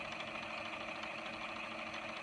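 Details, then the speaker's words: 1970s Grundig TK reel-to-reel (black and silver trim, being worked around a missing roller pin) on fast forward, winding tape onto the right-hand spool: a steady, even hum with a light spool whir and no catching or scraping, a normal fast wind. "fast forward it's going that way just winding the tape on the right hand spool"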